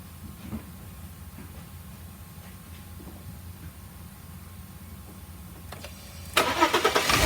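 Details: 2002 Volkswagen Passat V6 after coil pack replacement: quiet until about six seconds, then cranks, catches promptly and settles into an even run with no misfire; a normal start and idle.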